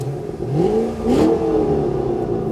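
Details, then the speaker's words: 2007 Ford Shelby GT500, 5.4L supercharged V8 with 6-speed manual, under 500 miles, freshly oil-changed: engine catches, revs up in a clean rising sweep, then settles to a smooth idle with no knocks or rattles; normal start and rev. "All right, let's start this thing up, see what it sounds like."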